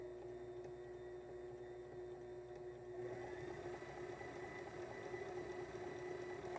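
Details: Sailrite sewing machine with 110 V Worker Bee Power Pack on a 500 W modified sine wave inverter, smallest recommended: steady even motor hum, constant pitch, no stumbling or buzzing; runs normally.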